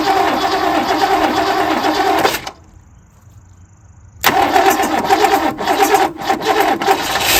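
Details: 1967 Lincoln V8, first start after replacing a valve lifter and reassembling the engine: rapid sharp ticking over the idle, briefly dying then returning, as lifters clatter until they pump back up with oil.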